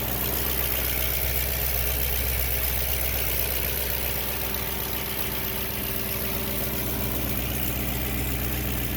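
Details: 2005.5 Audi B7 S4 at warm idle: even low drone with a light, busy chatter on top, heard only when warm, normal at cold start; owner suspects the timing chain beginning to go bad, unproven.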